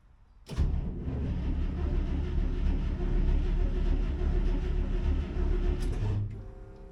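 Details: 1963 International 304 in 1964 IH Travelall with newly installed Holley Sniper EFI, first crank: starter turns engine steadily about five seconds with even compression beats, never fires; handheld shows no RPM signal, owner suspects wiring or setup error.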